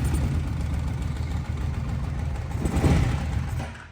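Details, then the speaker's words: Kawasaki KFX700 ATV fires right up and runs with a rough, uneven low thump and clatter; a head gasket is floated, then doubted because it's full of coolant, so the cause of the clacking is unclear. "oh it's clacking cuz the head gas gets bad the head gas can't be bad it's full of coolant"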